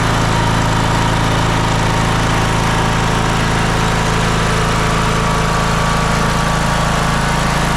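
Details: John Deere L108 riding mower, deck slows when mowing; muffler bolts fell out and wouldn't tighten. Loud, steady single-cylinder run with a deep, uneven shaking thump: loose engine mounting bolts and loose exhaust rattling.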